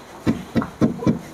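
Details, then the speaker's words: Steering rack bushing checked by striking with wheels turned to full lock; four solid, dull thuds with no loose rattle or klak-klak; feels heavy and tight, rack bushing still good. "Nah ini berat banget tuh berarti ininya masih bagus sebenarnya"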